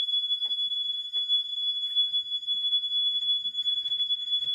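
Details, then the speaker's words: Gentex GX90 horn strobe, made November 28, 2000, with fixed 1575 candela strobe, battery powered: steady, unbroken high beep, not too loud, with faint strobe popping clicks; continuous horn working normally. "So this horn strobe kind of sounds like a smoke alarm. And they're not too loud. It's kind of like a smoke alarm, but just a continuous beep instead of the normal code 3 you hear with smoke alarms in your house."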